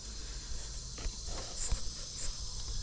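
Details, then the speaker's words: Truck air system at about 120 psi governor cut-out: steady high-pitched hiss under a few handling bumps; soapy water shows compressed air escaping from a small valve body gasket underneath, near a leaking cab leveling valve. "it sounds like it's right there but this soapy water is telling me otherwise okay huh it's coming out of this little valve body right here"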